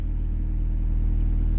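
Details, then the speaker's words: New H23 VTEC Frankenstein engine in CB9 Honda Accord, cold idle after plugging the missing oil squirter port and adding fresh 10W30: even, steady low idle pulse, no knocks or ticks; 44 psi oil pressure versus 0 before. "It's telling me I've got 44 psi upon cold fire up. Before, this thing was telling me I had 0 when I had that plug missing from the bottom end."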